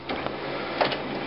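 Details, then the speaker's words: HP LaserJet 4000-series printer tested for error 41.5 with separation roller clutch re-seated after being dislodged; steady hum with light regular feed clicks, printing a test page and picking paper normally. "see as as it's printing it's doing it normally now when it's full it is normal however it's picked up one page right now"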